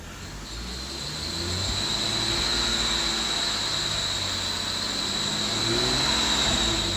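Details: 2012 BMW 135i N55 engine: a sharp high-pitched squeal from the engine bay, heard from the driver's seat, rides over the engine when revving past 2,000 rpm and holding.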